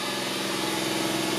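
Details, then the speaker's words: 1988 Daihatsu Hijet kei truck, 4WD, 550cc, 4-speed manual, about 23,000 km, just started cold: holds a raised, steady idle with an even buzz and no miss or tapping. A normal cold fast idle. "So it's pretty cold right now, so it's idling high, but"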